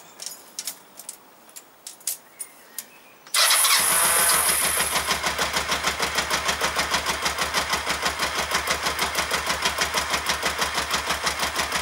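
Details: Kawasaki ER-5 twin at start-up, reassembled, radiator cap off and fuel tank aside: engine catches, then heavy uneven thump about three times a second at idle, one cylinder firing intermittently; cause unconfirmed.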